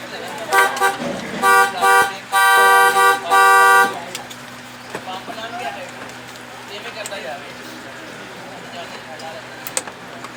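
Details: Car horn that had stopped working from the steering-wheel button, after repair: several loud, steady two-tone honks, then quiet street background. The horn sounds normal.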